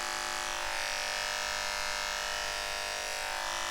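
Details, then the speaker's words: Wahl KM10 cordless dog grooming clipper running with a harsh, buzzy rattle over its motor whine, vibrating the hand; blade drive or blade hinge assembly worn and in need of replacement. "sounds terrible right can you imagine what that would sound like to a dog extremely annoying and it's vibrating my hand"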